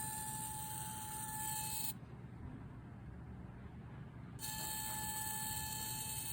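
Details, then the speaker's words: DJI Mini 3 Pro after a tumble into a bush: thin steady high servo- or vacuum-like whine from gimbal, stops when pressed, returns when set flat; gimbal motor whine. "the problem with the gimbal is that it is now just making a constant noise that sounds like a servo sounds like a servo but also kind of sounds like a little vacuum"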